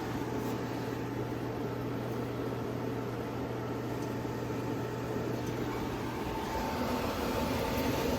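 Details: Castle Serenity pellet stove, new aftermarket convection blower just installed, tested once the box is hot on manual setting 5: even, smooth fan rush with a steady low hum and no rattles or scraping; blower running healthy.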